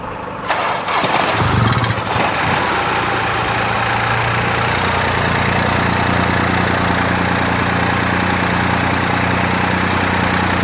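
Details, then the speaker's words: 2024 BMW X1 (U11) after a front-end collision, started on booster power with the intake closed off: it cranks and catches quickly, then settles into a smooth, even idle and revs cleanly, a normal start and idle. "Sounds good. So our engine is idling, it's revving up."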